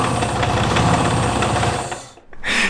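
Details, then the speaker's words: Supercharged Miata drift car on first test start with an Amazon supercharger, intake venting to air: uneven, lumpy idle with irregular knocks and stumbles before dying, motor sounds bad. "it's not good you guys I don't know what's going on the motor sounded bad did it blow up even faster than the $100 one I it doesn't sound good"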